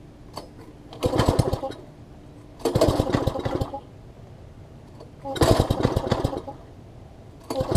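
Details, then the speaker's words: MTD front-tine tiller that had sat a long time: engine fires in ragged one-second bursts with near silence between, spitting and sputtering; first thought to be too much choke or gunk in the carb, actually a misconnected throttle linkage, later fixed. "see here it sound like it's just spitting and sputtering might be a little bit of gunk in the car although the gas attendant it smells good"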